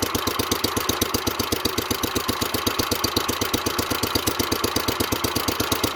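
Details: 1970s Wheel Horse C121 8-speed garden tractor with a Kohler single, first start after rewiring the fuel pump and with the points untested: an even, rapid putter of about four beats a second, steady and unbroken. Normal running at idle.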